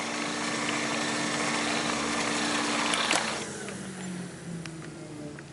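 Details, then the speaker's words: Janssen player piano roll rewinding after tension was reduced: a steady whirr with only a faint thin whine that fades as it slows after three seconds, and the roll rewinds smoothly without tearing. "you can barely hear that whine anymore."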